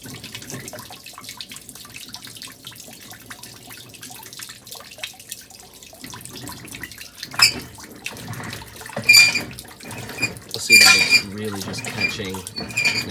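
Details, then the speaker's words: 2012 LG WM4801HWA top-load washer, impeller previously replaced: water sloshing broken by uneven catches and short high squeaks as agitation struggles and spins weakly. Owner believes the clutch assembly has failed. "But I can hear the squeaking, and in a little bit you'll really see how much it struggles in terms of balancing."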